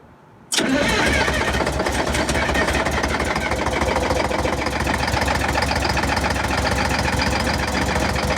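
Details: Bus diesel cold start, cylinders lighting progressively, heavy smoke: catches hard after cranking, rough uneven stumbling clatter, sounding like at least four or five cylinders and still missing a couple; best cold start in a year.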